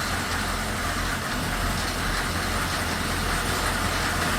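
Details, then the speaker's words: GMC with a 6.2 diesel after an injection pump swap that fixed excessive smoke and poor running, two glow plugs still stuck, on the hoist: restarts easily into a steady, even idle clatter with no misses or knocks; normal, healthy idle. "So, she's a runner. Let's see how she restarts. Easy would be the answer. She sounds like a happy 6.2 to me."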